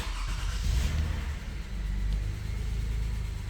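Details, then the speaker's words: 2004 Lexus RX330 after replacing the coil pack for a cylinder 4 misfire, plus a new air filter: cranks and catches quickly, then settles into an even, steady idle with no stumble; check engine light went out, running normally. "Running like a champ."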